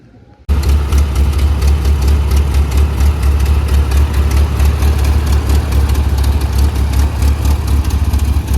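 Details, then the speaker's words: 1981 Toyota pickup 4x4, first run since its engine rebuild with a Weber 32/36 carburetor and performance cam: it catches and settles into a deep, lumpy idle with rhythmic cam lope, otherwise smooth and even. Normal idle with performance cam lope. "I also forgot to mention that this motor does have a performance cam in it so um yeah you're gonna be able to uh hear it"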